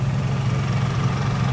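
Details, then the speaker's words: Honda EU3000i inverter generator under medium load, running a 12 amp motor: low, soft, steady hum at constant speed, no knocks or surging, quieter than a Yamaha; running normally. "extremely quiet i can barely hear the generator on this the fan it's a lot quieter compared to the yamaha"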